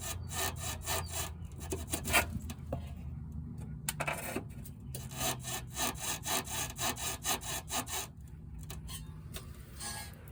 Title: 2014-2019 Toyota Corolla front suspension noise fixed.